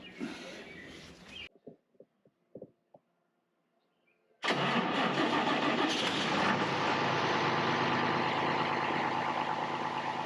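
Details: John Deere 7520 tractor after full oil change with synthetic oil and new filter: fires at once and settles into a steady, even diesel idle with no knocks; running great.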